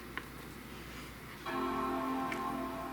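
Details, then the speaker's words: Base late-2014 Mac Mini with a failing original hard drive, boot chime known to randomly not sound: after a quiet click, one clean sustained chord rings and fades evenly; chime working this time; normal startup chime. "at least the boot chime's working right now."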